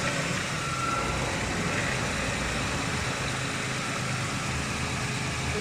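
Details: 2010 Ford Explorer after repairing electronic throttle body actuator motor wiring (had misfire, RPM hunting, no pickup, codes P2100/P2104/P2107): quiet even idle, steady low hum, no stumbles or hunting; running smoothly.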